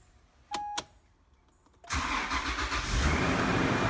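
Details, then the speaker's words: Toyota 80 Series Land Cruiser VX Limited, started during an R134a AC recharge, after fixing the fan hitting a hose: the starter catches at once and settles to a steady, even idle with no scraping or ticking. A normal start. "that sounds better turn the fan on high and AC on"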